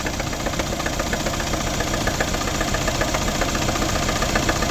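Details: 2012 Mercedes CLS550 at steady idle with a quick, fairly even knock of about three to four per second, apparently from the passenger side of the engine; no check-engine light, cause not yet pinned down.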